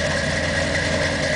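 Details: 1963 Corvette split-window V8 on its first start: a steady, even idle with a constant drone and no knocks or misses. Normal idle.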